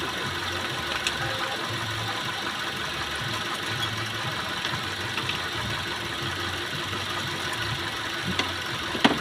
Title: Car Engine Misfire Problem #carmaintenance #cardriving #satisfying #automobile